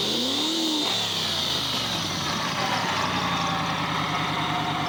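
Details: Subaru engine idling, microphone right under the oil pan, checking whether an earlier tick has returned: even idle with a brief rev at the start and no ticking. It sounds all right.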